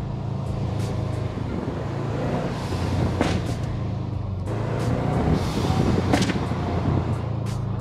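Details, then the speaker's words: 2008 Subaru Legacy GT, Cobb downpipe and SPT catback, new GFB blow-off valve, in-cabin while driving at about 3,500 rpm: crackles and pops each time throttle lifts; owner suspects the valve makes it run rich, as popping began after fitting. "And I'm pretty sure that the blow-off valve is making the car run rich, therefore it pops, because it wasn't doing it before, now it's doing it."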